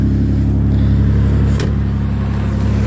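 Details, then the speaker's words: Toyota 4Runner V6 after new ignition coils fixing P0300 misfire; recorded outside, deep even exhaust note rises and falls smoothly with throttle, no stumble or skipped beats; running clean on all cylinders. "oh yeah that really helped it helped I can't believe it"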